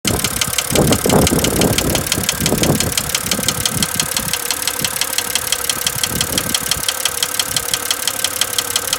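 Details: 2007 BMW X3 N52 at idle; sharp, steady ticking knock about three times a second riding on the engine beat; owner suspects rod knock, unconfirmed; engine knocking.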